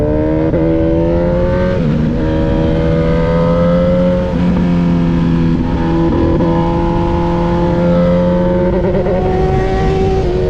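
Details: Honda motorcycle on a track day at Grattan Raceway, pulling hard. The rising engine note keeps dipping and stumbling every few seconds as it misfires and loses power. The owner suspects a Power Commander V problem; the cause is unconfirmed.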